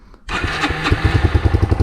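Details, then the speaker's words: Yamaha YBR 125 single with fuel pump priming, electric start: starter spins briefly, engine catches at once and settles into an even thumping idle of about eight beats a second, fairly quiet; normal start and idle. "Donc niveau sonorité, franchement c'est plus que raisonnable, hein. Moi, je suis habitué à du son."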